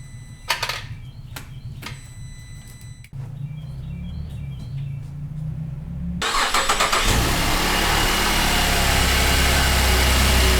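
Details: 2008 Cadillac CTS GM 3.6L direct-injection V6 after timing chain replacement, with the disconnected vacuum line reconnected: some clicking, then the engine catches and settles into a steady, even idle with no misses or knocks; runs healthy.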